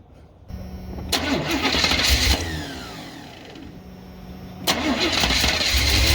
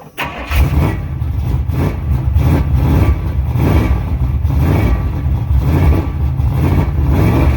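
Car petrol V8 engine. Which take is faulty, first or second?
second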